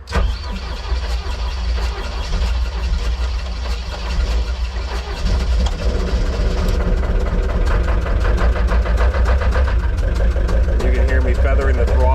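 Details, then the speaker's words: Gehl 6635 SXT II skid steer diesel, 5300 hours, heavy oil blow-by, cold start: lumbers unevenly with stumbling, irregular beats and smoke, can't run on its own until warmed; cause suspected, not confirmed. "once it warms up a little bit it'll run on its own but in the beginning it can't run and you can you can see all the smoke coming out it's uh it's definitely not happy about this"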